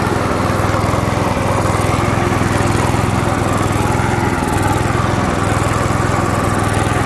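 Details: 1989 Hayter 21 Osprey orchard mower, 5HP Briggs & Stratton 132922, first cold start after a fuel pump diaphragm replacement and a starter ratchet clean: steady, even single-cylinder beat at constant speed, no misses or surging; running healthy.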